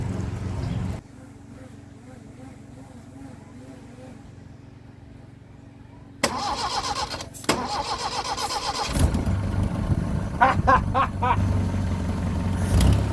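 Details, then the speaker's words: Toyota Corolla Liftback converted to 36DCD carburetor, started by bridging the starter with a screwdriver: a long quiet stretch, then it suddenly fires, running rough into an uneven idle; slow to start, owner suspects a voltage drop between the starter and ignition switch. "as you could probably introduce by how long it took me to start this thing I'm rather inexperienced I've never Bridges thoughts like that before in my life"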